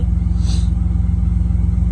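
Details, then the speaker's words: 1989 Camaro cold start at about 40–50°F, 8 a.m., no exhaust fitted yet, after fixing the ignition switch; smooth deep rumble with fast steady pulse, no misses, normal raised cold fast idle expected to drop as it warms; owner notes an unidentified whine. "I mean that uh a very at a cold start normal cold start you're going to expect an older car to be up at500 and then drop back down to where it needs to be once she uh warms up a little bit"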